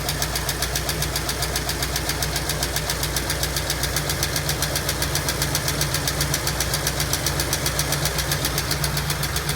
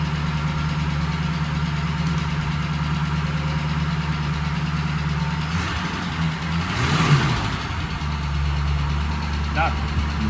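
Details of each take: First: 1965 Ford Mustang coupe, supposedly 302 V8, first run after sitting since 1992 with locked-up engine, front jacked up: fast, even light ticking, two or three per second, over slightly uneven idle, no smoke; lifter tick not going away. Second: 1965 Ford Mustang coupe, V8 (supposedly a 302), parked since 1992 with a once locked-up engine, running on old fuel and an old fuel pump: steady even low rumble with no knocks or stumbles, idling smoothly and healthy.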